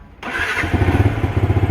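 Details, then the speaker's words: Yamaha R15 V2, cold start: the starter spins briefly, then the engine catches into a lumpy, pulsing idle that sounds ready to die; fuel runs short. Cause suspected, not confirmed. "Tapos start natin Ayan oh ' ba Ayaw mag-start pa pero pagka naano na natin siya ng fuel"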